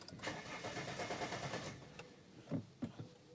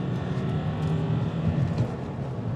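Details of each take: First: Vauxhall Meriva diesel after refilling fuel filter: short starter cranking burst dies abruptly leaving scattered clicks; battery terminal clamp not tight enough keeps disconnecting. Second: Diesel car with codes cleared and V-Power diesel added: on-road wide-open acceleration revving cleanly to 5,000 rpm without limp mode or warning beeps, no hesitation, road and wind noise; normal acceleration.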